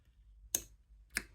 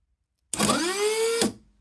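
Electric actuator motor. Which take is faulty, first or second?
first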